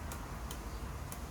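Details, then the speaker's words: Honda VFR800 VTEC headlight circuit with 12 volts at the black/red wire: crisp relay ticks about half a second apart on switch-on, relay working and headlights restored. "When you switch on there, it needs to click. So if I switch this on now, we should have a click and a click."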